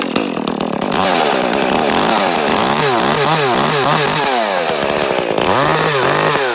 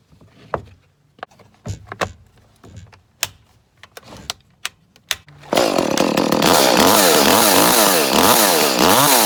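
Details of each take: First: Echo CS-310 chainsaw, about six or seven years old, cutting out at the top for eight months, worse once warmed up; air and fuel filters already changed: revs surge, then sag and break up at top each time; faulty spark plug. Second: Echo CS 310 chainsaw, six to seven years old, after replacing the spark plug that caused months of poor running: after clicks and knocks it fires and holds a strong, steady high-pitched buzz through repeated revs; runs cleanly, normal running.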